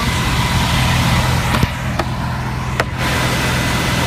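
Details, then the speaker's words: Carbureted RV onboard generator, 315 hours, after push-button start: even steady low hum at constant speed, no misses or knocks, a few outside clatters; runs perfectly. "And we will climb out to show you how it sounds. She runs perfect, 315 hours."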